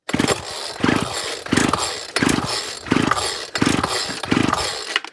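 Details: Old Ryobi Grass Scorpion RCT-2800 two-stroke trimmer, fresh two-stroke fuel, primed, choke on, cold wintry day: about seven quick rope pulls, short rasping cranks with no catch; won't start, likely fuel side, gummed carb suspected.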